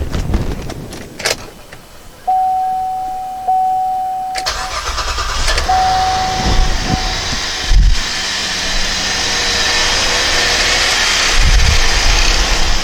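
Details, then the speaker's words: 2007 GMC Acadia after starter replacement: after a couple of chimes, brief crank and engine catches right away into even running; quicker start, battery had been unhooked. "it started a lot faster let's do it again just the battery was unhooked just probably relearning some stuff"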